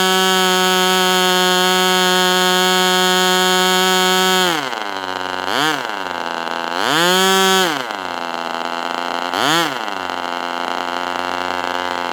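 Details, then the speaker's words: Northfield Ross Black Demon 61 model engine on first run, about 71°F, just after leaning the low-speed needle: very loud steady high-pitched scream with quick rev dips and recoveries as the throttle moves; sounds lean and loud, cause unconfirmed. "It's loud. Sounds like an engine from the 70s."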